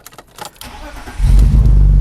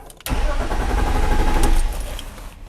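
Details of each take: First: 2002 BMW 325i E46 that cranks but won't start: the engine catches and runs steadily when 12 V is fed directly to the ignition switch's green wire, and stalls when that power is removed. The ignition switch is faulty. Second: 2002 BMW 325i E46 trying to start: starter spins engine evenly about a second and a half with no firing, most dash warning lights absent; crank no-start traced to faulty ignition switch.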